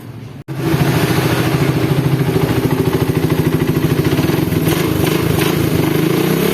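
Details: Suzuki Satria FU after rebuild for worn crankshaft bearings, balancer gear timing marks aligned: engine catches and settles into an even, regular beat around 200 per minute with no knocks or rattles; earlier head and bottom-end noises are gone.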